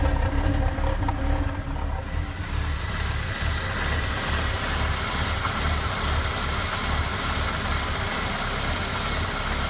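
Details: 1996 MGF 1.8 MPI petrol idling unevenly with a stumbling low beat because a vacuum pipe to the ECU was disconnected; new intake gasket, IACV, rotor, cap and HT leads didn't help, and reconnecting it made it run perfectly.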